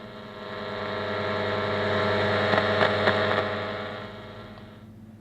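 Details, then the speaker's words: 1950s Ferranti A1016 valve radio brought up on a variac to about 240 V: a steady low hum swells and fades with the set. Mains hum, attributed to old smoothing capacitors; suspected, not confirmed. "although there's bit of hum and the hum I would attribute to old capacitors"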